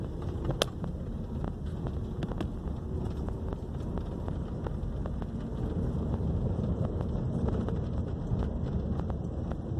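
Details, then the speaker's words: 2012 Honda Civic road test after replacing left front suspension parts and bushing: steady low road rumble and wind on a rough street, with no clunks or knocks left. "olha aí beleza acabou o barulho do carro pessoal"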